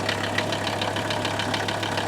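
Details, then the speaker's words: Mercedes W123 300TD turbo diesel estate idling with a fast, even rattling knock over the low drone; the owner is unsure whether the noise is normal and the engine later proves bad, cause not yet confirmed. "If you saw in part 1 and part 2, I drug this thing home and I started to hear this funny noise in the engine. I'm thinking, is that normal or not normal?"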